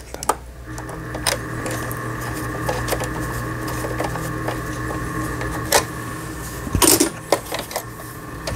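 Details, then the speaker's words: Singer 3827 sewing machine, about 6–7 years old, test-sewn while still disassembled after repair of a seized pattern dial and dead forward/reverse button: quick, even stitching hum with light ticks and some sharper clicks; straight stitching forward and reverse now works normally. "직선, 전후진, 전혀 되지 않았던 기계가 전진 후진이 돼서 나오네요."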